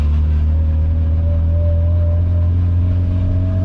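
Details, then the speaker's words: Car on its first drive after getting it started, turbo given a little boost; deep steady drone with a faint whistle rising as it pulls, smooth, no knocks; motor, clutch and transmission feel good; inner tie rod sloppy. "motor sounds good the the clutch feels good the trans feels good everything feels good so i'm very very happy with it so far"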